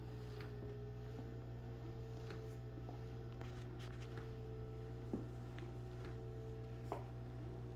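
Constant low buzz underneath a faint wavering mid-pitch whine and occasional soft clicks; the chair has a persistent buzzing noise.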